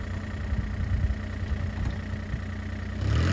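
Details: Mini excavator diesel at warm idle: steady low even rumble; belt squeal heard at cold start stops once thermostat opens, which owner says it has always done without issue.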